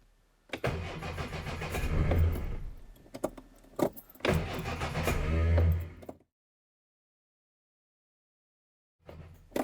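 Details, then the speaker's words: "Fox" cranking in two quick, even bursts, then a brief third try, with no catch at all. Choke cable has fallen out and it sounds under-choked; owner suspects a poor earth. Spark plugs also being changed. "come on fox and not even a sniff this is beyond frustrating"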